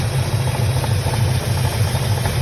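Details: 1966 Chevelle 396 V8 at idle; low steady idle with a dull knock pulsing several times a second, following engine speed. Engine knocking, cause not yet found.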